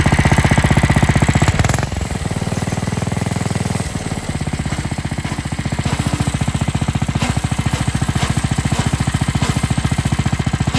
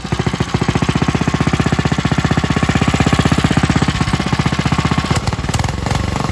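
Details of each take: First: New Coleman RTK100 (CK100) 100cc go-kart, throttle lever worked by hand: engine revs, then bogs out under foot resistance with gritty grinding from a centrifugal clutch not lubricated at the factory; fix is lubricating the clutch. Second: Coleman RTK100 (CK100) 100cc go kart engine idling smoothly as it should, with a quick, even putter and no grinding from the centrifugal clutch; comparison kart for clutches found poorly lubricated from the factory.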